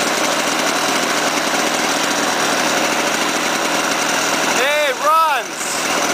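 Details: Lawn-Boy 5127 two-stroke mower, first run in 10 years after swapping in a replacement spark plug and squirting gas into the intake: steady, fast buzz at an even pitch without misses or surging; the engine runs cleanly.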